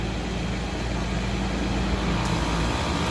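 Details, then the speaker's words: Raypak pool heat pump showing HP error, contactor pushed in manually: heavy, constant, strained compressor drone with about 795 psi on the high side; the TXV is suspected and gets tapped next, and the unit is nearly worn out. "wow okay or 795 on the high side"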